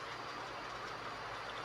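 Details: Electric fan that hummed and needed a push to spin, after adding a capacitor to the motor's common wire, shaft turning freely: steady even hum with no dragging or stutter; faulty capacitor was the cause, now normal running.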